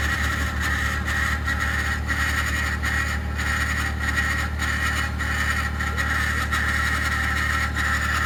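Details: 2021 Ford F150 PowerBoost remote cold start at -16°C: harsh grinding rasp repeating about 1.5 times a second over cold idle, like a fan scraping its housing; occurs only below about -11°C, quiets after ~10 minutes warm-up; cause unknown.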